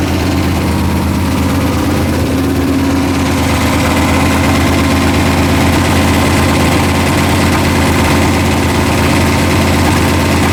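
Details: Warm V8 in "Calamity Jane" idling with forged pistons, a deep steady knock under the exhaust note; pan off showed rods three and four a little loose, and the crank journal is suspected as the cause of the knock.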